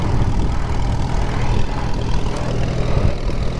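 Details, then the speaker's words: 1939 Farmall H repower on its first test drive, in third gear: low, steady tractor rumble with even engine beat and no knocks, clunks or gear whine; transmission sounds normal. "third gear sounds about like my other H I don't think that sounds too bad"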